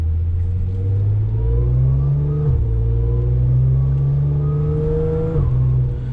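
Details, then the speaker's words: Audi S4 3.0 supercharged with test pipes, after Magnaflow resonated X-pipe fitted, driving in second gear: deep drone rising with revs with slight raspy edge from the rear mufflers; exhaust rasp from rear mufflers, no longer from underneath. "There's a little bit of rasp coming from the back, those mufflers. It's definitely those mufflers."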